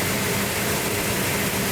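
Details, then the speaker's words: '72 Duster 340 V8 twin build, first start from cold with the choke held and ignition advanced: a strong, even rumble at fast idle with no misses, knocks or ticks. The engine runs healthy. "Oh, it sounds good. Yeah. Listen to that. Fantastic."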